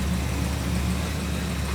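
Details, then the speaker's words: 1959 Pontiac Catalina just restarted after a carburetor swap, idle screw dialed up: steady, fast, even idle with a deep low rumble and no misses; idling too high. "That's a little too high on the idle."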